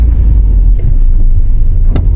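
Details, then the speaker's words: 2015 Audi A4, 83,000 km, on a road test: low engine rumble with a sharp clunk felt through the accelerator pedal on throttle tip-in; engine mount first suspected, found to be a loose fuel line clip knocking. "你看啊，这个不明显，咯哒一声，它这个响声会传递到我油门脚底板上。"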